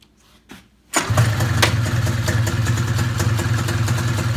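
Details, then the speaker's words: Arctic Cat ZR 440 two-stroke snowmobile, first start after rebuild: it catches sharply, then settles into a slow, lumpy idle that sounds ready to die. Idle is still too low even with the carb screws turned far in. "Still idling too low. Man, those screws are getting pretty far in on the carb."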